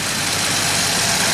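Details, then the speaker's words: 1990 Jaguar XJS V12 with idle too high and surging while warming; busy fast idle with constant airy hiss; air drawn past leaking injector O-ring seals. "Well, we found one vacuum leak. This hose was just completely off, this valve, so let's put that back on."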